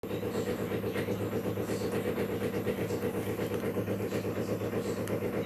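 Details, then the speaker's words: Brastemp 16 kg washing machine, about one year old, making steady rhythmic clattering near 1.5 beats per second over a low hum early in filling that stops after partial fill; owner suspects the water pump. "o barulho que a máquina tá fazendo tá completando um ano né E olha a barulheira Esse barulho tá ficando até um certo período do enchimento depois que enche um pouco o barulho passa"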